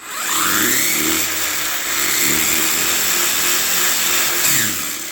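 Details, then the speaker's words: 1/14-scale RLAARLO/CROBOLL truck after conversion to a Hobbypower 3650 12T 3300KV brushless motor, on the stock 2S battery. A high whine climbs and falls as it speeds past with no grinding or clicking; much faster, with what seems a slight throttle delay. "you could definitely see you could definitely see that this thing is a lot faster. I mean, you should be able to see a lot more tire expansion, a lot more rotation out of this."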